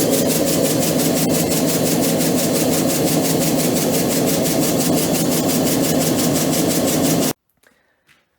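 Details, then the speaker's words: EPKU-1.7 compressor block rebuilt for cylinder knock and oil throw, tested and ready: even steady pumping about four strokes a second, no knocking, then clean shutdown; healthy running. "дивіться, ваш компресор вже готовий, випробуваний, зібраний та готовий до відправки."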